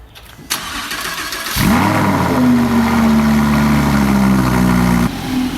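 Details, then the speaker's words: Wrecked Lamborghini Huracan being rebuilt, naturally aspirated, cold start; starter whirr, quick flare, then strong even high idle; normal cold start. "you ready for the cold start let er rip this one doesn't have much of a co-star compared to the Viper but we'll take care of that sounds good it's kind of like a hybrid go for it"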